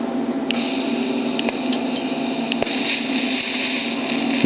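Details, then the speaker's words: TIG welding over 2.5-inch galvanized pipe with standard steel rod: the hissing arc crackles and pops irregularly as the zinc coating burns, the weld gets smoky and milky, and porosity forms. "You see how it's kind of like you hear it burning and popping. It'll get milky and you get porosity."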